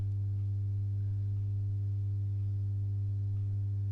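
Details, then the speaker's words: Masco M25N valve amp, poorly re-capped: loud constant low buzzy hum, quieter when a test cap is bridged on; confirmed lack of smoothing, mains hum from insufficient filter capacitance. "so yeah that's um that's definitely the uh capacitance home so lack of smoothing on"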